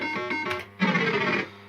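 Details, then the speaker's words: Second System80 machine with identical board and setup, used as comparison with the faulty one: crisp, clean electronic jingle and tones with no crackle or dropouts; normal sound output. "So that's how it should sound. Nice and crisp. So that's perfect."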